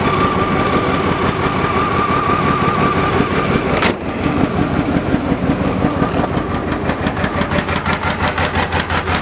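Uneven, stumbling cold idle with a choppy, popping exhaust beat at about three per second: a misfiring V6 from a bad injector spider.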